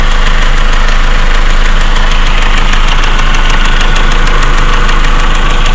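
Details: 1.8T engine at cold idle: crisp, regular tick about three to four times a second that quietens after a few minutes and disappears once warm; source not identified.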